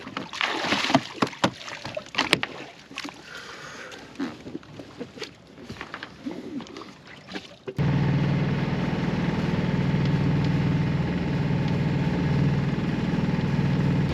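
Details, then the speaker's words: Sailboat inboard motoring after diving to clear plastic wrapped tightly around the prop shaft against the cutless bearing: steady, even low drone with no shudder, earlier weird vibration gone, engine not labored; normal running. "Sounds good so far. The weird vibration is gone. Doesn't feel labored. She feels good."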